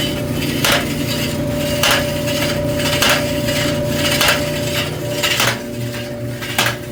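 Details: Electrolux front-load dryer EIMED60LT3, heats but noisy before repair: scrape about once a second with each drum turn from the loose front control panel rubbing on the drum.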